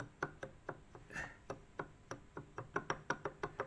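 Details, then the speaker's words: WSK 125 two-stroke engine after about 42,000 km, cylinder removed: connecting rod rocked by hand gives sharp, irregular knocks about three per second, big-end play from a completely failed lower bearing whose needle escaped and scored the piston and cylinder. "będzie słychać chyba to pukanie. Jest luz. Góra, dół. Łożysko się na dole rozleciało całkiem."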